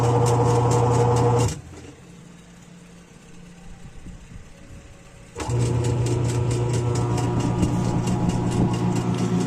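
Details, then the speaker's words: Samsung 7.5 kg automatic washing machine whose wash cycle wouldn't run and only hummed; motor wired directly now runs: steady low hum, a pause of a few seconds, then picks up evenly; motor is fine, suspected missing water outlet connection. "Kasi ayos naman po pala yung motor."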